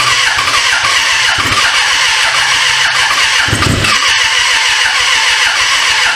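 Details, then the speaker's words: 1996 Suzuki GSF600 Bandit, first start after 14 years sitting, wiring fixed: fast starter whirring with a brief catch and rumble that dies out; almost fires but won't run; owner suspects dirty, leaking carburetors; starter getting hot. "it did hit though so it wants to run I bet you the carburetors are just probably just dirty need to be clean"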